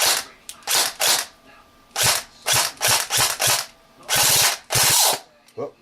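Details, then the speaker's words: G&G AK-47 airsoft with home-built MOSFET: short bursts of whirring grind, about ten in six seconds, each cutting off abruptly with no clean cycle. Mechbox opened; gears found stripped, spare gears to go in. "So I took the AK apart because the mech box made the whir grind sound, and I wonder why. Broken more. He's broken more."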